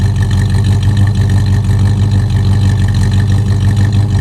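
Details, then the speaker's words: 1970 Chevrolet Impala, 350 V8 with about 175,000 on it, new single 2.5-inch exhaust, idle just backed off. Low loping idle with uneven beat and occasional soft stumble over steady rumble; slightly rough, minor miss, not too bad. "it doesn't uh sound that terrible uh this engine's like uh 175 000 which is uh pretty good for an old V8"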